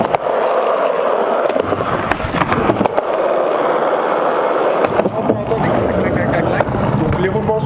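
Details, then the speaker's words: Skateboard wheel bearings over a year old, before cleaning: a steady rolling rumble with light clacks. They roll fairly smoothly but are worn, at about half their capacity. "c'est assez fluide mais on entend un petit coincon quoi quoi quoi donc c'est fluide mais on sent que le roman n'est pas neuf il a été un petit peu abîmé"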